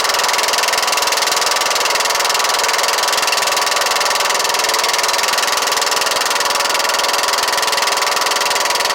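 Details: Kohler Courage 18hp engine running after being bolted down tight, with the muffler off because its bolts had vibrated loose: loud, raspy exhaust with a fast, fairly even knock at a steady run. Knocking noise; cause not pinned down.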